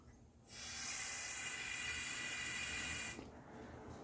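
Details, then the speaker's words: EVAP purge valve for code P0442, bench test unpowered, should be normally closed; long cranking after refuelling flooded the engine: steady, sharp hiss of air for about three seconds blown straight through; valve stuck open. "this valve was actually stuck open right now without it energized without the solenoid energized it should be normally closed"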